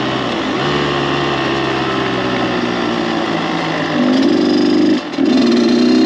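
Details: Freshly rebuilt Kawasaki KX 85 two-stroke dirt bike after break-in heat cycles, revved up on the pipe at full throttle: crisp buzz climbing smoothly in pitch, no knocks, rattles or odd vibrations; healthy, strong-pulling engine.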